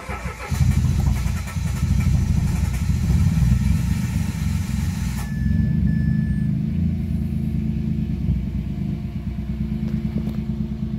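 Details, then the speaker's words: 2018 Mitsubishi Mirage G4 MPI sedan after fixing a crank-no-start caused by a locked throttle body, with no trouble codes. A brief crank, it catches right away and holds a steady low idle with no misfire or stumble: normal start and idle. "So ayun guys umstart na yung ano natin ah cranking lang na Mirad. So naging problema nga doun lang sa throttle body niya."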